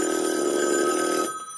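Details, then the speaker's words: 1965 Northern Electric TeleTrainer for Bell Canada, two-line phone simulator with original 2N696 transistors, handset hung up and line rung: bright clean metallic ring for about a second then clean cutoff; bell rings properly. "And there we go. The bell is ringing. Pretty cool."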